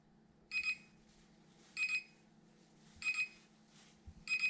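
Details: SJRC F11 GPS drone remote controller: shrill double beeps repeating about every 1.25 seconds, a non-stop warning beep that gets into recordings.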